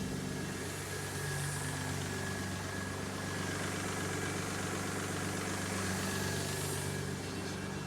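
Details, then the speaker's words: Jaguar AJ30 V6-swapped MGB GT, just started after final fixes and left to warm while checking for leaks. An even, settled idle around 1000 rpm with a soft, steady exhaust burble and no knocks or ticks. Normal idle. "Okay, so that's a good start. All right, so it's idling."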